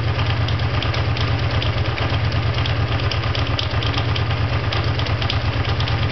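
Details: Honda VT500FT steady V-twin idle with a loose, uneven patter riding over the low rumble, under two beats a second; unidentified abnormal mechanical noise, source unclear.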